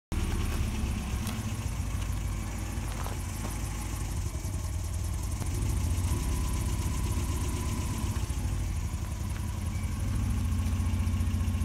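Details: 1993 Volvo 240 petrol engine with rough idle and hesitation: low, uneven pulse wavering in strength instead of smooth running; owner unsure whether a sensor or fuel issue.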